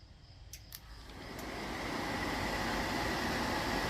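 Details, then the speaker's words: Atwood 7916-II propane furnace removed from a pop-up camper, bench hot-wire test: a click, then steady blower whoosh but no igniter or burner light-off; it only kicks over with both wires connected. "what the hell but nothing happens curious so what in the world happened when we swapped it over"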